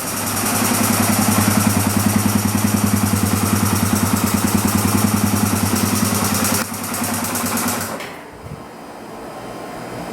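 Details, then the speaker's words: Dirt bike with choke off, very high idle and heavy smoke: busy chattering tick about three per second that sounds like valve chatter, then dies off; cause unknown. "I don't even have the choke on the chok's not even on right now and and it's like sounding like uh the valves are really chattery and it it's really high like the RPMs are really high"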